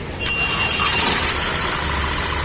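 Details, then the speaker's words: Skoda Laura 1.8 TFSI after fixing missing fuse supply to ignition system and refitting removed coil: engine catches and settles into steady even idle, no stumble; starts normally, malfunction light on, air mass sensor suspected. "अभी एक बार गाड़ी start करते हैं तो आप देख सकते हैं गाड़ी स्टार्ट हो गया मेरा"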